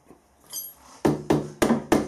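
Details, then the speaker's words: Angle set up for milling a square door-bar hole, with a machinist jack under the centre putting light load on it: five sharp, dead taps with no ringing, so the workpiece sits solid and no longer springs. "If we take the jack back out, that'll stop it flexing. Just a little bit of weight on,"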